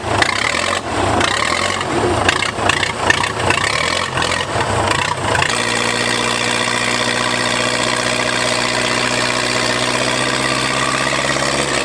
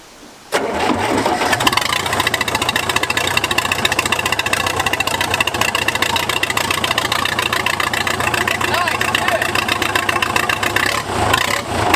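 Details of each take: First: Old Case bulldozer: rough cranking and catching, then a loud, steady, even unmuffled diesel idle with no knocks or misses. Normal idle. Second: Case dozer diesel, cranked while lowering the boom/bucket to ease load: engine grinds over slowly, then catches and settles into a loud, rattly idle with no muffler; motor sounds good.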